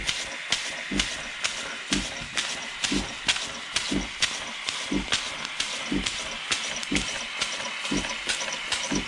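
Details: 1950s German engineering-students' steam engine on its first test run since then, fed steam from a DeLonghi coffee machine because its boiler has holes. Crisp, even chuffs about two a second over constant hiss, no knocks; normal running.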